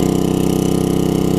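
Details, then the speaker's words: Coleman 1500psi pressure washer, almost 20 years old, Tecumseh engine with donor carb from junk engine, washing sidewalk: fast even buzzing beat, no misses or surging; running great. "like I said it's 1500 psi it's not really designed to wash sidewalks and stuff with so but you can hear it's running great"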